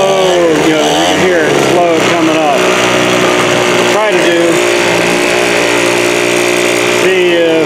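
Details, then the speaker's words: 2017 Troy-Bilt TB430 two-stroke leaf blower after new spark plug: buzzy drone climbs lazily and bogs on each throttle blip; sluggish, carburettor or fuel filter suspected, not confirmed. "hopefully you can kind of hear how you hit the throttle there it's like"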